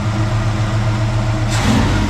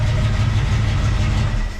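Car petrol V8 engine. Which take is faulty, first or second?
second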